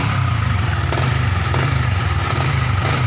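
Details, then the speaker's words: Yamaha Vixion New motorcycle at steady idle, recently fitted with a new piston and sleeved and bored: a dull clunking "glek-glek" knock persists with the clutch lever pulled, pointing to the primary and balancer gears rather than piston or conrod. "Oke, ketika kopling ditarik suaranya glek-gleknya itu masih ada ya."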